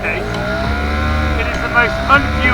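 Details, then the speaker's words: Johnson 4 HP two-stroke outboard under way at about 10 mph: buzzing drone whose pitch dips and picks up every second or so, wanting to go; engine surging under load, owner suspects it is running out of fuel. "See, you can hear it's wanting to go. It's really wanting to go. It really is surging."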